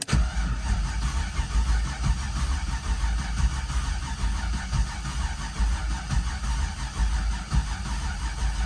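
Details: Freshly rebuilt, previously blown-up LS V8 with exhaust unhooked and no coolant, late at night: it cranks, builds more oil pressure than before, and catches with an even low rumble. No knocks or rattles; normal start-up.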